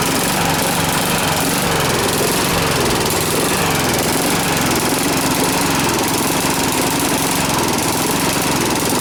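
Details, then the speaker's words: Briggs and Stratton push mower that blew black smoke and oil out the muffler, oil level slightly high, air cleaner off: loud uneven chugging with stumbles and sputters; rough rich running. "So I'm going to fire it up and show you what it's doing and how it sounds right now with the air cleaner off, and we're going to try to figure out what's causing it."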